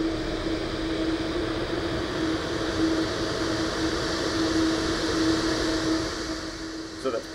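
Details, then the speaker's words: Dometic RTX 2000 rooftop AC after the condenser fan and motherboard fuse repair, with the compressor kicking on and both fans running. Even fan rush and a steady compressor hum with no surging or rattling; cold air blowing normally. "after that both fans were working perfectly the unit was working as it's intended to cold air started to blow"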